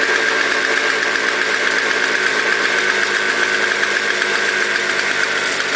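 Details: Toro CCR 2000 single-stage snow blower, 4.5 hp two-stroke, after cleaning; smoked from very old gas backed into the cylinder; warming up: smooth steady buzz, even beat, no misses or stumbles; normal running.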